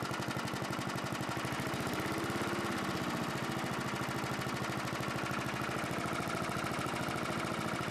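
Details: 1982 John Deere 21 SP lawn mower single-cylinder engine after refurbishment, new old stock points and condenser at .020 gap restoring rpm: fires fast and evenly with steady beat, no misses or hunting; normal running.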